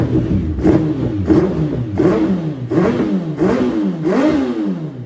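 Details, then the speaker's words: Suzuki Hayabusa after fuel filter and injector work for rough idle and misfire from standing months, running with air intake unplugged: quick, even rev blips about once a second, crisp and clean; normal engine revving. "She sounds great."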